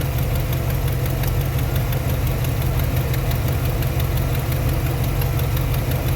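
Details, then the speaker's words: 1991 Chevy Silverado 350 with a parasitic battery drain, idling on its own after a jump start with a new alternator: fast light ticking about three a second over a steady V8 idle; suspected exhaust manifold leak at a header. "Okay, now it's idling on its own. It is idling on its own, man. [Music] We got a ticker over here."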